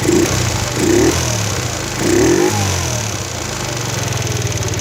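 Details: Chinese four-stroke single-cylinder scooter (139QMB/GY6-type) after a pod filter swap and carburettor tuning; steady, even putter with slight rise and fall in revs settling into smooth idle; mixture sounds right.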